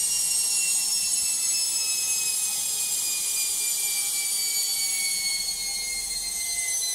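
High, thin whine that slowly sinks in pitch as the drum spins down with no low rumble; loud spin noise of unknown cause.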